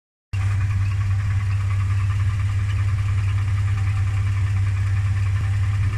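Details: Toyota Land Cruiser / Lexus LX450 at steady low idle with a fast, even knock from the engine bay that goes away when the wheels are turned; owner suspects power steering pump, unconfirmed.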